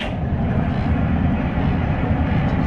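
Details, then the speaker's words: Diesel engine on steel trawler Mamoot, small long battery cables with knife switches: deep steady sluggish churning without catching; slow cranking, suspected voltage drop, not confirmed. "you've got all the nice gear on it too cranking slow with the sounds of it there we go"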